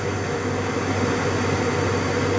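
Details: 2020 Audi A6 Avant mild hybrid 48 V starter-generator on a test stand, held under load at a steady 60 while its boards are checked for heating with a pyrometer; constant electric whine over a steady hum, pitch holding steady, healthy.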